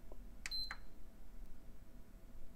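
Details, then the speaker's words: PS5 with lightning damage, board on bench with power, fans and power-button/LED ribbon connected: one short faint beep, then no fan and no light; suspected dead HDMI encoder, plus a dead power supply. "beep only no fan no no fan and no light single beep okay does that sound familiar"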